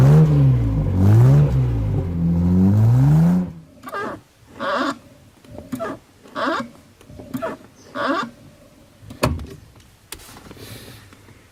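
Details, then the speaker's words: 2003 Infiniti G35 clutch pedal assembly squeaks with short creaky sounds about once a second as the pedal is pressed and released; fix is lubricating the pedal assembly. "your clutch pedal squeaking on your Infiniti g35 or 350z Nissan well let's diagnose and fix that because it's annoying and I'm sick and tired of it"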